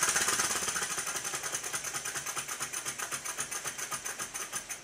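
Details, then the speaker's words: Stuart 10V steam engine, rebuilt, running on compressed air: quick, even exhaust puffs, smooth with no knocks, after valve timing tweaks (slightly retarded) and final tightening of main bearing bolts to the sole plate, curing a tight spot at bottom of stroke. "after a final tightening of the bolts that hold the main bearing to the sole plate it sounds like this it's so quiet you can actually hear me breathing in the background"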